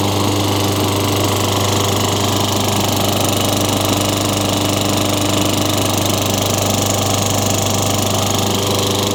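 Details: Craftsman 22-inch mower, Tecumseh 6 hp engine, rain-soaked find with very little oil, after new Champion RJ19 plug: steady even drone holding speed without surging or dying; healthy, no smoke or burning oil.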